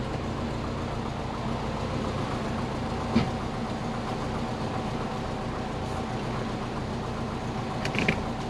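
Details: Subaru Forester SF5, turbo setup recently changed from twin to single, idling at 900–950 rpm, coolant 37°C, battery about 14 V: steady idle with occasional short creaks and squeaks; the power steering stopped working again, cause unknown.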